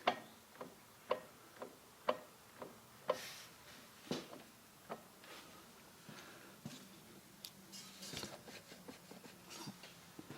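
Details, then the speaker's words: BMW Z3 (E36 platform) rear drivetrain rocked by hand at the wheels: single dull clunks about once a second then lighter rattles; rear driveline looseness, suspected driveshaft-to-differential U-joint or differential, not confirmed. "i'm going to move those wheels back and forth and i can certainly hear clunking i'm not sure exactly where it's coming from it's either the differential or it's this u-joint here"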